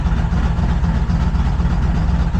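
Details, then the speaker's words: Truck in a DIY ignition-repair series with a mystery misfire, just refitted with a new coil: low, heavy idle pulsing and lumping unevenly, smoothing out slightly but still running rough. Rough idle, cause unknown; owner suspects timing or the ignition circuit. "but she's smoothing out a little bit. She's running rough. Going real rough."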